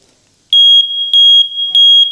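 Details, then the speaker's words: Faulty First Alert smoke detector opened up for teardown: shrill high beeps about 0.3 s long repeating every 0.6 s without stopping, no visible fault found inside; continuous smoke alarm beeping, cause unknown. "I really don't see anything that would be causing that uh beep like that continually."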